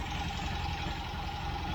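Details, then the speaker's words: 1967 MGB Mk1 after carburettor refurbishment and tuning, still idling roughly: low, uneven, lumpy wavering idle with a faint hiss; vacuum leak later traced to the intake manifold gasket. "So you can see the engine's still not idling the way I would like it to."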